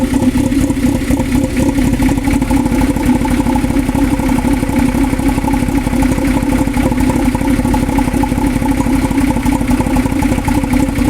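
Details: 2000 Toyota MR2 Spyder, engine replaced under 90 days ago, since then water pump failure and all three O2 sensors changed: lumpy uneven idle with wandering beat; rough idle, cause unclear.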